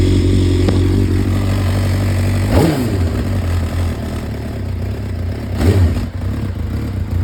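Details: 2004 Suzuki GSX-R600 four-cylinder, sat about 5-7 years: idles steadily, takes two quick throttle blips and settles back down, running fine after long storage.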